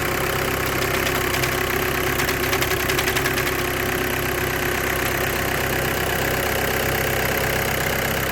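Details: 2008–2014 VW with DSG gearbox idling: a faint, uneven ticking rattle comes in bursts early on, a vibration-type noise possibly from the clutch pack. Clutch plate vibration is suspected, with the plate bearing also tagged.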